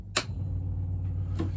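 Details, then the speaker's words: BMW E30 rally car with swapped-in M44 engine, ignition on before first start: after a click, steady low electric hum with fine rapid ticking as lift pump fills the swirl pot and high pressure pump runs; normal priming. "that's filling the swell pot that's a high pressure pump"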